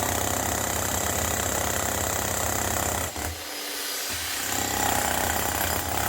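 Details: Bosch GSH 11 E 240 V hammer after repair with an aftermarket AliExpress copy armature and fresh grease: steady, rapid blows at about four per second with a strong, even slap and a short pause mid-clip; clean, healthy hammering.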